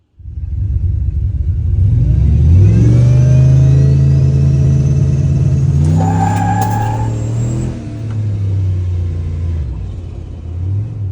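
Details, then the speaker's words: Truck on launch control at about 3300 rpm: engine holds a steady high buzz on the two-step, then after brake release it spins the tires and the pitch sags and flattens at full throttle as it pulls throttle; bogs under load, cause unknown. "So it's like, and let off the brake, it spins the tires, and then a couple seconds later, it just goes, zoom. That's me still to the floor, but for whatever reason, the truck is slowing down, and it basically hits a wall."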